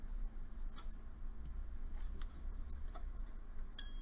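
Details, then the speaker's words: Jeweler's saw frame with its blade tensioned by compressing the frame and tightening the top nut: flicking the blade gives a single bright, high ping, the sound of a properly tensioned blade. "that's what you want okay that noise that's the sound of a properly loaded saw blade"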